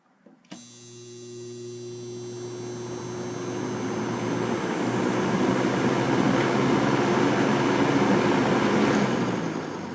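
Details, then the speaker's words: 1970s Superelectric box fan with metal motor, running on high; steady low electrical buzz under the rising rush of air; cause not confirmed. "You can even still hear it even when it's on high."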